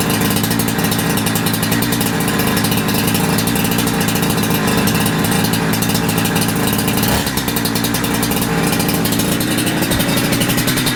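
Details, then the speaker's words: Holzfforma G372XP chainsaw (Husqvarna clone) after new carburetor, being tuned with tachometer: steady, even buzzing idle with no surging or dying; low-end, idle and primary tune good, high-end not yet tuned under load. "but lowend and idle and and primary right off that seems to work really good I'm happy with that"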